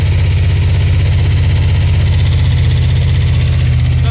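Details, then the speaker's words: New 350 V8 in a 1948 Chevy truck on an S10 frame, first-start break-in run at 190°, 50 psi oil pressure: deep, lumpy, stumbling beat; two cylinders misfire from plug wires burned against the headers. "they they sorted out against the headers so those two cylinders aren't fire consistent leing I'm not going to stop it because of that"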